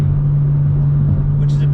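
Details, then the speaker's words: BMW M2 with M Performance exhaust, in-cabin at 77 mph cruise, ASD disabled test. A steady low boom holds one pitch over road rumble, unchanged by ASD. The drone is from the exhaust. "a bummer because you still have that frequency that's hanging in your ear"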